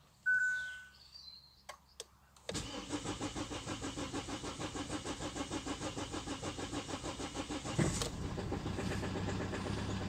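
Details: Kia Sportage 1.7 CRDi diesel, cold start at 2°C outside. Long crank, then the engine catches with a harsh, loud clatter at fast idle. The cause is unclear. Noisy cold start.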